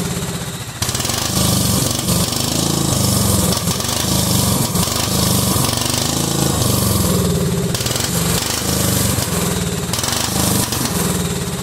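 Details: Cub Cadet 2130 lawn tractor: engine catches, then chugs unevenly with stumbling firing and surging revs; fuel system full of water and rust, owner suspects water in the carb bowl, plans to drain it.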